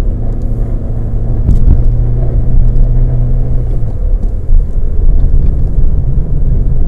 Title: Opel (Vauxhall) VectraB (Z16XE 1.6 16V) P0304-00 Cylinder 4 Misfire Detected